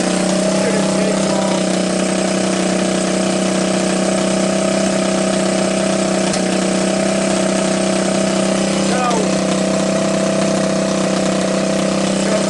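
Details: Honda ATC200X three-wheeler fitted with an ATC200S single-cylinder engine, after it weather-seized with rust in the bore and seized from oil loss; a cracked oil filter cap was replaced and oil refilled. Steady, even idle with a constant tone and no knocks or misses; normal idle.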